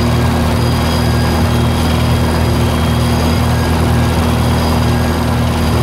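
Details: 1948 Lincoln SA-200 welder engine, long unused, revived with little work, with a short stack with resonator: a low, steady drone with an even beat and no knocks or misses. Normal, fairly quiet idle.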